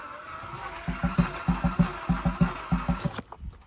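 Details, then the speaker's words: 2012 Hyundai Veloster with new spark plugs and coil packs: the starter churns about three pulses a second with soft pops, only three cylinders heard. Weak cranking, no start; owner suspects a dead battery, sensor replacement didn't fix it. "When I try to start it, if I tap the gas a little bit, you'll only hear 3 little pops at a time."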